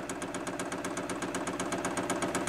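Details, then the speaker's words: Newly fitted Chinese diesel heater with backup battery, priming the fuel line with no burner running: quick even dosing-pump ticking about eight per second over a soft hum, pump priming normally. "oh finally sused it out that's pumping so I'm guessing that's priming it"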